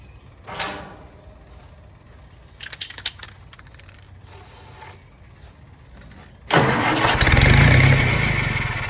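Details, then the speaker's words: Old Army skid generator with Willys flathead and electric fuel pump: several failed cranking bursts, then catches about six seconds in and runs steadily; it only runs with the choke held on. "so it runs and i see why the previous owner had this wire on here if you trace this sucker back if you hook it up here it holds the choke on so the gentleman was telling the truth it did run but only if you held the choke on"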